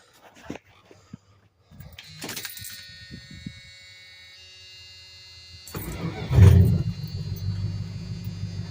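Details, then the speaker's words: 1986 Dodge W150 pushrod V8 after mechanical fuel pump replacement, choke pulled: key jingle and a few short cranks, then it catches and settles into a steady rumble at about 500-600 rpm; starts cleanly. "and she lives again. Sounds good. And we're at about 500-600 RPM. It's about perfect."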